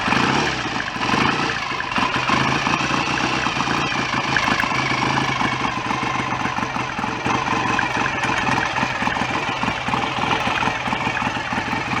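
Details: BSA A65 twin after rebuild, rotor moved on its taper to advance the ignition further; even, steady idle with regular crisp exhaust beat, no clatter, oil circulating, no smoke. Normal idle.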